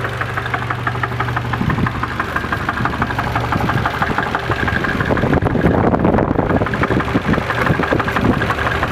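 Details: Nissan KA24DE engine with 170 miles, knocking at idle: uneven deep bottom-end knock about three times a second over a rough idle, busier on a brief rev; owner suspects a bad bearing (rod knock), unconfirmed.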